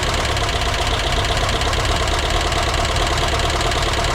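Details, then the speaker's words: VW Vanagon Westfalia air-cooled engine, surprise first start during rebuild: busy, rattly idle with steady fast ticking over the engine note, a little smoke; top-end tapping, owner suspects oil not yet up and oil pressure regulator wrong, hookup uncertain. "It sounds like it still needs some oil up on those filters, huh? So that oil pressure regulator is probably not right, huh?"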